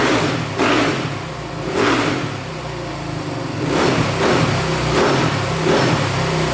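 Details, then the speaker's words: 2008 Suzuki RMZ450 dirt bike after setting the throttle position sensor to 6 volts: repeated throttle blips rising and falling cleanly with no popping or backfire. Throttle response is now smooth. "Oh, that sounds pretty darn good. So, setting that throttle position sensor to 6 volts really helped a ton. It's really smoothed up the throttle response. Sounds great. No popping, no backfiring."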